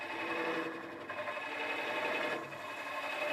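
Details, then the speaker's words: Woodcut Pro-Forme hollowing tool held level, not rolled, hollowing a 6-inch by 8-inch walnut form on the lathe: an even, unbroken hiss of continuous cutting with no chatter or catches. "So it's cutting all the time. You can hear it rather than see it."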